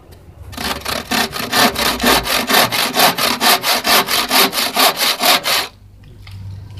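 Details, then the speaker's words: Freshly sharpened hand saw cutting a board: crisp, dry rasping strokes about two per second, even and clean; sharp teeth, kerf wider than blade. "terdengar dari suaranya ya, renyah dan garing. Ini menandakan kalau ini tajam,"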